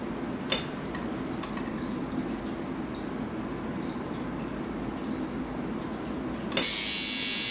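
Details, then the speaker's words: Tattoo machine at 4.8 volts after setting contact screw to touch front spring: a few clicks then steady even high buzz; normal running. "You will hear the tapping machine working correctly, and it's all powered up."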